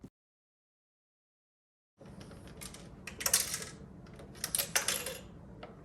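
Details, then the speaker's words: 1986 Panasonic RX-FD80 boombox that arrived shipping-damaged with its CD door popped open: irregular light clicks and tinkles as it is moved; a broken-off internal part rattling loose inside the case. "I've got to figure out what that is what rattling around inside broke off"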